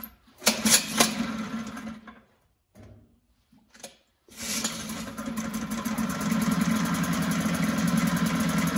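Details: 1974 Mercury 4 hp single-cylinder two-stroke outboard in a test tank, after carburetor passages were cleaned and blown out with air: a few sputtering catches, then settles into a steady, even buzz; runs like a top.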